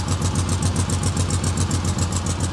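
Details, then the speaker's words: 1998 Ford Ranger XLT 4x4, 335k, automatic, with a tip on the exhaust and muffler to be chopped: even, fast engine pulses with a raspy, loud, little-muffled exhaust note at steady running; loud exhaust. "you can hear um tyler put that tip on the guy's a clown you can hear him just exhausting"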